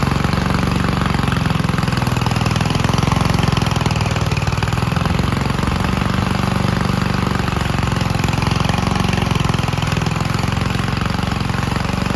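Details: 1951 Gravely Model L garden tractor single-cylinder, after cleaning an oil-filled carburetor and swapping to a stronger backup magneto for weak spark: steady, even chug with a firm low thump, no misses or surges; runs cleanly.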